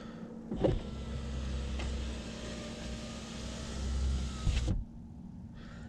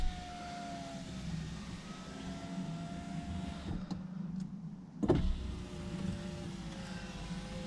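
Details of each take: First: Saab 9-5 power window after silicone spray lubrication: smooth, even motor hum about four seconds, steady pitch, no binding or squeal, clean stop; window runs freely. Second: Saab 9-5 front passenger power window before silicone lubrication: motor hums with sagging, uneven, labouring pitch as the glass drags in dry channels; sticking window.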